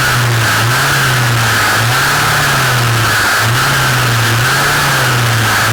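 High-revving two-stroke with a loud buzzing tone that surges and dips every second or so; abnormal shaft noise, source unclear.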